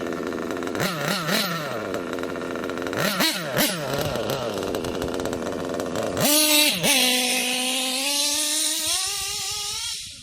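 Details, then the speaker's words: Kyosho KE25 Big Block nitro engine, pinch test after leaning low-speed needle slightly: high buzzing idle surges upward when fuel line pinched, then cuts off; low-speed needle still a little too rich. "Alright, I didn't want to kill it this time, but I can tell it's still a little too rich because it wanted to rev up a little higher like that."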